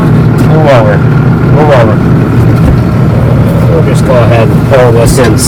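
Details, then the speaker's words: Low even diesel idle with steady deep rumble under voices, no knocks or misses, on a John Deere mixer-wagon tractor with about 16,972 hours and a reman engine installed 7,000 hours ago; running healthy. "So Junior's going to start it up. Purrs like a kitten, you know, naturally, you know."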